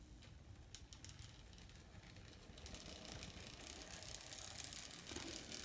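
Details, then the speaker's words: N scale Atlas/Rivarossi 2-8-2 Mikado, old non-runner, reassembled, test at very low power: quiet, even motor whir with light, steady gear ticking, no binding or stutter; a fantastic runner. "actually it's a fantastic Runner"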